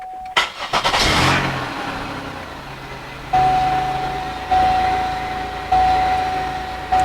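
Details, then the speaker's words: 2003 Chevrolet Monte Carlo SS, 116,000 miles, bought as an auction car; brief crank then it catches and settles to a steady idle under a repeating door chime, starting right up without trouble. "she's running the radio is playing cut that off"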